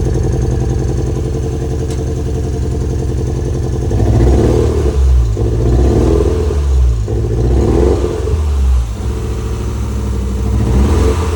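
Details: Toyota MR2 with newly replaced ignition leads: an uneven, stumbling, lumpy idle that continues as the revs rise and fall. Still misfiring, cause not yet found.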